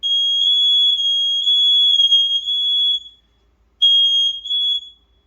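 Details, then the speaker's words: Newly installed mains-powered smoke alarm, battery tab not yet pulled, sounding on test with a loud piercing high-pitched tone for about three seconds, a short gap, then again; working, checked alongside the other interconnected alarms. "Let me test this one, see if that one goes off. It is going off."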